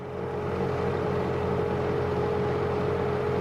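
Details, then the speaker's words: Bobcat T190 skid steer diesel, just started after fan drive replacement plus alternator belt and new coolant, not yet warm (thermostat possibly removed): smooth, steady drone, no knocks or rattles; much better without the failed fan drive. "well that sounds so much better not having that rally fan Drive"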